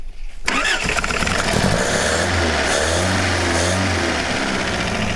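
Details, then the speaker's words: 1977 Toyota Celica GT parked about 20 years, plugs oiled, melted belt removed: brief cranking then catches into steady even idle without misses or knocks; runs well as long as it has gas. "Hey! Purrs like a kitten, almost. Oh. As long as it has gas."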